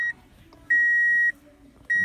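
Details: Car with no-crank, no-start fault after replacing a blown fuse; clear high beep repeating about once a second, half-second tones with even gaps with dash lights on; the normal key-on warning chime, then the car starts.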